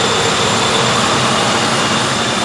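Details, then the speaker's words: 1995 Ford Crown Victoria LX after replacing serpentine belt, idler and tensioner pulleys (previously screeching): engine running loud and even, no squeal, chirp or knock; belt drive now quiet. "engine's running really good no noises"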